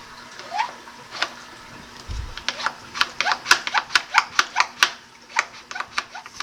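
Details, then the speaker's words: Aged Fluval 406 canister filter on a 150-gallon aquarium, after cleaning: primer gives quick uneven plastic clicks and squeaks, about two per second, with no water rush; primer not drawing water, needs replacing. "this one does need a new primer. It's not coming out."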